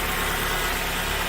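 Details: Ford Focus that ran terribly with lean code P0171, after fixing a broken air box and clearing codes: steady, even idle hum with no hunting, stumbling or hiss; smooth, healthy idle after repair.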